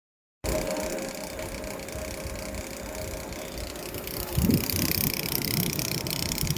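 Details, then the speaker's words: Air conditioner unit running with an uneven light buzzing rattle that flares briefly, caused by an onion peel caught inside and fluttering; holding the peel stops the noise. "ये आवाज ये छिलके की वजह से आ रही है। सिर्फ ये देख रहे हैं ये छिलका लगा हुआ है। देखिए छोड़ दिया तो आवाज कर रहा है।"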